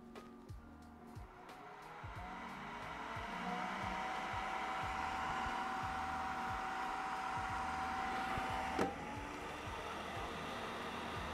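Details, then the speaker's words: Creality K1 3D printer side part-cooling fan running with a redesigned baffle muffler (noise down from about 67-68 dB to about 63 dB): steady high whine that wavers and drops as the restriction loads it; fan starting to struggle. "but I I really don't like where it is going because I can I can hear that the fan is starting to struggle"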